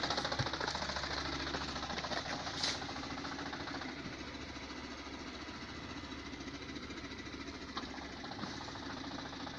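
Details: 2017 Lada Granta, 15,000 km, began shaking with check engine light when reversing: faint regular knocking about three times a second under running hum; knock in gearbox disappears with clutch pressed, but engine still vibrates.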